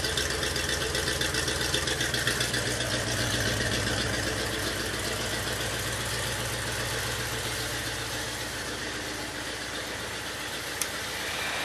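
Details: Original 400 V8 from a 1967 Oldsmobile 442, freshly rebuilt (new rod and main bearings, rings), running on an engine stand with a point distributor; even, steady idle with a quick beat, no knocks or ticks; good oil pressure, healthy.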